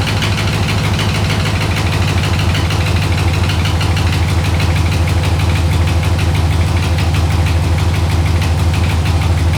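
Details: 6.0L LS-swapped S10 with fuel system clogged by rust from the gas tank: steady idle with a regular low chuffing beat about three a second and a slightly rough pulse; sticking injectors misfiring, though sounding a little better.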